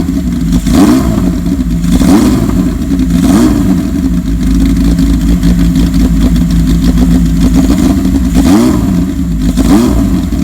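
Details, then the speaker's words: 1979 Kawasaki KZ1000 LTD four-cylinder in a 1974 Z1 chassis, long-stored, carbs cleaned, new plugs; loud steady run with quick throttle blips, no bottom-end knock, crank sounds good; good runner though it smokes, owner suspects rings. "I think I'm coming to the conclusion that it's a good runner bike"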